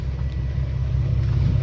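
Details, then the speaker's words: Nissan 370Z after fitting Motordyne Art Pipes (dual exhaust with one resonator): deep smooth low rumble, quieter, less rasp, no drone; normal exhaust note. "dope it does sound a little bit quieter it's not as loud and there's not as much rasp on it"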